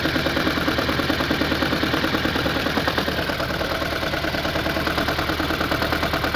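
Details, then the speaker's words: Hot engine with a misfire code on cylinder 4, idling: rough idle with a steady tapping knock about twice a second and an uneven, stumbling beat. Knock and misfire; owner suspects a cylinder 4 fuel injector, not confirmed. "We're having knocking issues and we're having a misfire."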